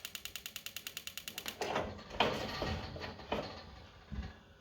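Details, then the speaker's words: Gas fire heater after replacing the igniter's AA battery; rapid even sharp ticks about ten a second, then soft whooshes as the burner lights with blue flame; igniter sparks properly. "You turn it on, keep on clicking. You have to keep on clicking until you get blue flame in there."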